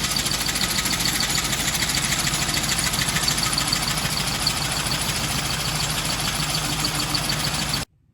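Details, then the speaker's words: Ford tractor running a John Deere sickle mower with PTO on after repairs (new ledger plates, old wear plates reused); starts right up, steady even beat with light mower chatter, no misses or knocks, until shut off; normal running. "It's been firing right up, running good. So happy to have that back working good."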